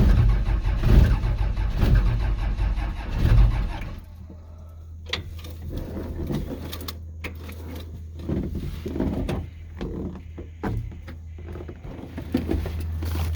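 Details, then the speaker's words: 12-valve Cummins turbo diesel in a 1949 Chevy COE, sat for months, cold-started at about -5 degrees with no preheater; long slow cranking with a few weak catches that never pick up, lots of soot; hard cold start. "she's firing a little bit so there's a chance look at all that soot and give it a minute here to let that starter cool down"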